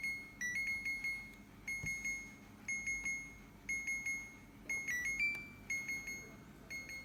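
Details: Second-hand fridge alarm sounding continuously: bright high beeps in quick clusters about once a second, never stopping, reason unknown, owner wants it switched off.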